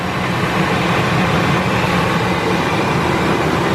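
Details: 1999 Ford Expedition 5.4 V8 idling after heater hose assembly replacement and coolant refill, checked for leaks; smooth, even low rumble with no ticks, knocks or misses: steady, healthy idle.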